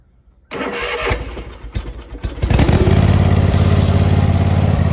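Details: Zero-turn mower after replacing the solenoid that caused a click-no-start: the starter turns briefly, the engine catches near three seconds and settles into a steady, even low rumble; starts and runs normally.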